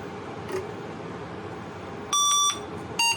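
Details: 386 DX/40 motherboard with corrosion, intermittent boot when flexed: one long beep then shorter beeps over quiet room noise, a POST error code; owner suspects corrosion or a bad solder joint, not confirmed.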